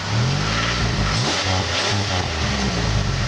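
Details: Exhaust after the exhaust leak was fixed and Grand Prix GXP tips were fitted. A loud, deep rumble with throttle blips rises and falls cleanly, with no ticking or puffing leak sound; the exhaust sounds sealed and healthy.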